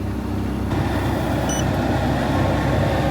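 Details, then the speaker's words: Bus basement ventilation blower upgraded from 95 CFM to 500 CFM, tested on its 24 V 5 A supply on high: steady even air rush with a low motor hum and no rattle or scrape, healthy with lots of airflow. "there it is on high oh yeah that is a lot of air flow"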